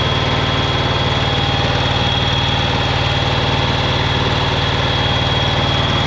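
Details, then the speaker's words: 2011 John Deere Z910A zero-turn mower, Kawasaki FX651V twin-cylinder engine: uneven, lumpy idle with a loping thump about twice a second instead of a smooth twin beat, like one cylinder missing. Misfire suspected; the ignition coils and spark plugs were later replaced. "Got something going on there. Sounds like it's missing a cylinder or something. That doesn't sound good."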